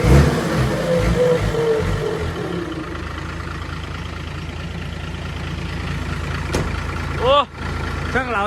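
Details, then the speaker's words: Diesel engine after fuel system cleaned of dirt and lines bled to cure weak power; steady low rumble that smooths and holds an even note when revved; runs clean and strong, fuel flowing freely. "น้องเฟิร์สมาล้างน้ำมันเดินสะดวกเลยครับแบบนี้ช่างเราจัดให้แรงเลยนะพี่พี่ว่าแรงขึ้นไงน้ำมันเดินสะดวก"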